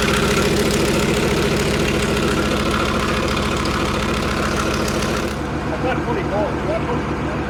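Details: Leopard tank diesel, test run after fuel injector bank O-rings and five or six cracked hoses were replaced. Loud, even idle with a steady low rumble settling into a smooth regular beat and no misses; no leaks found. Normal diesel idle.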